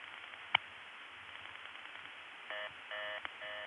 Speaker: 1:31 in the old days would just ring direct resistance here in Olney but now some other place handles it and the direct trunks are busy as you can hear here